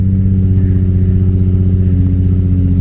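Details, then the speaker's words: 2008 Nissan 350Z after reassembly: loud, deep idle with an uneven pulsing lope about four beats a second, not settling; owner suspects it's from having run badly for a while, O2 sensor also found rattling loose. "it's idling pretty bad but I'm pretty sure it's because you know they hadn't been running good for a while"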